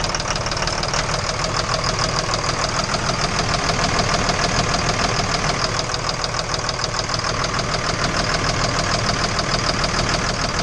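A steady, regular knock of about three per second rides over the idle throughout; the engine is knocking, cause not yet known.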